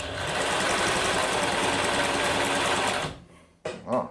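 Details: Singer 107W1 sewing machine with 12-pole servo motor, after belt replacement, sewing eight to nine layers of sail cloth over an old patch: steady fast stitching chatter near four beats a second, punching evenly, then stops; running healthily.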